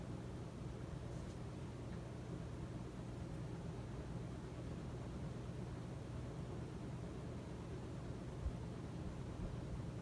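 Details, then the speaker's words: Casablanca S3 ceiling fan (rated 180 RPM on high) on high with new capacitor, seemingly faster than in 2015; owner suspects old capacitor was already weak: soft low hum, gentle airy rush, no ticking, rubbing or wobble; normal. "It actually seems to be a little bit faster than it was when I turned it on high for the first time in 2015. So maybe the old capacitor was already a little bad."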